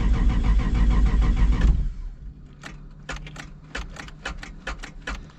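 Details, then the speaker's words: RX7 with 2JZ-GTE VVTi swap, owner suspects poor previous wiring causes hard starting: rapid steady cranking at about four beats a second without catching, then stops with clicks; extended cranking, no start, cause unconfirmed. "this car does have a problem starting whoever did the wiring in this car before they didn't do a really good job car does not really like to start"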